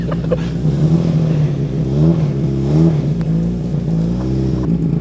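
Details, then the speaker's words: Austin Allegro barn find: the engine revs up and down freely but the car won't move, and one wheel may not be turning. The owner suspects the clutch has gone. Engine revs but the car will not drive. "so I could probably get started then Sam's not moving I can't see what I'm doing right hang on"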